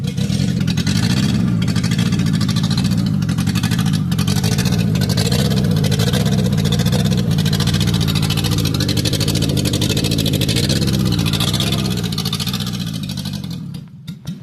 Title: Exhaust Leak Symptoms: 6 Warning Signs You Should Never Ignore👨🏻‍🔧#GURU#